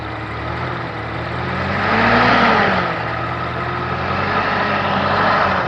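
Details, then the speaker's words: Continental F124 flathead engine from a fire-damaged forklift, first start after carburetor set up and screws torqued: fires right up, steady smooth note rising briefly with throttle and settling evenly, little smoke, no misses or knocks; running healthy. "well that certainly worked out well that sounds pretty darn good doesn't seem to blow a whole lot of smoke uh it certainly fired right up"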